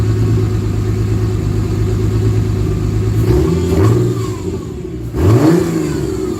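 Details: 1949 Chevrolet with 4200 Vortec engine, first start after radiator hose fitting: steady even rumble then two clean revs climbing and falling smoothly, no knocks or misses; runs well, fuel gauge dropped to E for unknown reason.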